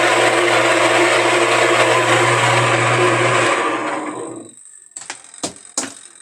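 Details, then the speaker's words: Suggar Lavamax 12 kg twin-tub washer, also leaking at agitator: loud steady whirring hum with harsh rushing edge for about four seconds then off; motor noise, motor and agitator to be replaced. "vou ligar agora ele funciona mas ele tá com barulho"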